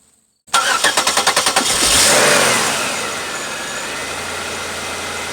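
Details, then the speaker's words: 2004 Chevy Impala that had sat and would not start or crank, now starting after a battery load test. Even cranking for about a second, a brief stumble, then a steady idle: a normal start. "So as you saw, it started. It hesitated a little bit, maybe because it's been sitting down a while, but you notice it started."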